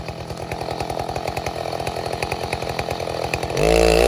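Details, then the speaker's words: 070 clone chainsaw, 42-inch bar, first use cutting white oak firewood: choppy, uneven firing while cutting, then smooth pitch climb once the bar frees; bogs and struggles under load, lacking RPM; owner suspects untuned carburetor. "I cannot get that carburetor on the 070 figured out no matter what I what I do uh the saw just wants to bog I can't seem to get it up to the RPMs that I want it"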